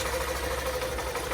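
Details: Hero BS6 motorcycle, found with no engine oil and rocker noise suspected, after repair, in neutral with loose chain: short steady idle with an even putter and no tapping or clatter on top; normal idle.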